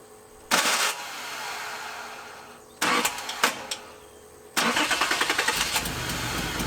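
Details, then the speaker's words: 1981 Nissan 280ZX straight-six, five-speed, sat about 15 years: cranking bursts, then runs with an uneven stumbling beat, idling in neutral but dropping a cylinder; misfire from a dead, non-clicking fuel injector. "go up the hill i put it back in neutral to make sure that it could idle still and it did except it was like it was picking up the cylinder it would drop it was like it was trying to"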